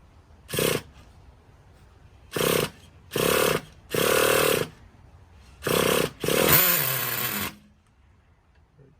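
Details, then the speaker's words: 2006 Traxxas Nitro 4-Tec 3.3 (Model 4809), TRX 3.3 racing engine rebuilt after disassembly, inspection and cleaning, running warm with the body on; six sharp high-pitched throttle blips, each rising and cutting off cleanly, crisp response, no misfire: healthy nitro engine. "Motor's already warm on this sucker. This is running a Nitro 4-Tec with the body on her."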